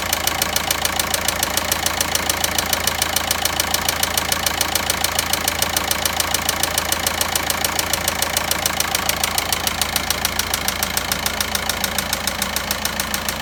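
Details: Volkswagen Passat 1.9 diesel at steady idle with sharp, even tapping about three times a second from inside the engine; engine knocking, cause unknown.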